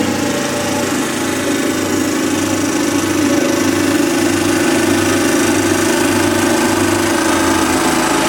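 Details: Kubota riding lawnmower engine, revived after sitting years since it made a horrible noise and shut off while mowing, idles with a rough, uneven tick about three to four a second; owner suspects a slightly bent valve, calls it a horrible lifter tick.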